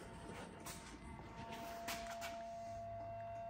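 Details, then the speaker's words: Honda Navi after AC-to-DC conversion with LED headlight: faint steady mid-pitched hum is the LED headlight's cooling fan running normally. "you hear that humming sound that's the fan on the LED headlight"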